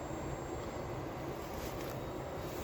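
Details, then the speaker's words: 1959 Cadillac Sedan cruising on the road: the engine is a low, even murmur under road noise, and the earlier rattling sound is gone. Running nicely. "I see you hear that rattling sound that was that was going was gone and it's running very nice"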